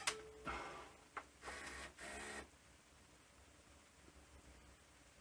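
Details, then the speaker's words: Panasonic NV-V8000 VHS recorder after capstan motor freed and retiming: short bursts of rough whirring with clicks at start and stop, no fast forward; noisy rewind, suspected front loading system fault, possibly broken plastic parts. "have no fast forward I have rewind but it's noisy but that's because of something wrong with the front loading system"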